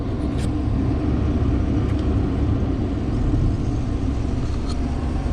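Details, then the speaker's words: Case 2388 combine, started to check that nothing sounds wrong: a steady, deep diesel rumble with an even, unchanging beat and no knocks or squeals. Owner says everything sounds good. Normal engine run. "Okay, everything sounds good there. Looks like it's running."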